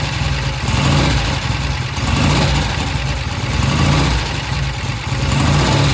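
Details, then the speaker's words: 1966 Triumph after turning pilot air screw out about one and a half to two turns: even low thumping idle swelling cleanly with each throttle opening, no hesitation off idle; carb now transitions properly. "idle all right did you know did you see the difference when it came off of idle this first eighth of a turn right here this is what's controlled by the pilot jet and the pilot air screw"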